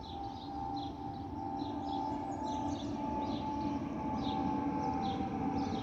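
Two steady organ-like whistling tones hold over the engine roar on approach, the usual A319 FOPP vent whistle and nothing wrong.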